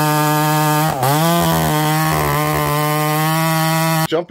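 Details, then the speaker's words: Husqvarna 288XP clone chainsaw cutting very dry, hard wood at steady high revs, slight bog near one second; oiler not slinging enough oil to keep the chain wet, insufficient chain oiling. "guys I'm starting to notice at this point that the Oilers just not keeping up um it's you can feel it it's not slinging a ton of oil and in this situation this is where you need a ton of oil that Wood's really dry and really hard"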